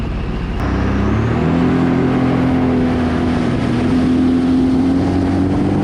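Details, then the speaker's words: 2007 Sea-Doo RXT 215 supercharged jet ski after pump rebuild with new prop and replaced scored wear ring: smooth steady engine drone with an even whine, no rattle or grinding from the pump; normal jet pump running. "Gorgeous. That's how it should sound. Let's put her back in."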